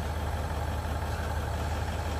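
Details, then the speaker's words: L322 Range Rover 4.4 TDV8 idling just after the popped-off intercooler-to-plenum inlet hose was reconnected and tightened; smooth, deep diesel idle with no whistle, hiss or misfire and no smoke, the air leak appears solved; normal idle. "put the hose back on that's idling there's no sign of smoke at idle well I've reconnected the hose pipe no sign of huge amounts of smoke yet"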